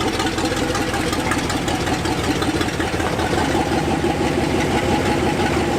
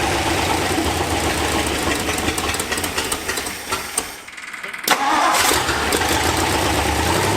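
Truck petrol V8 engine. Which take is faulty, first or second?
first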